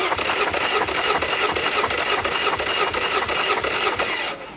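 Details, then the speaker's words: Yamaha 50HP (T50) outboard with milky oil and suspected corrosion, cylinder 1 compression test: even starter cranking at about three beats a second, no weak strokes; reads 170 psi, normal compression, matching 170 on cylinder 2. "170 170 natural 170 folks all right we're going to move on to cylinder 2"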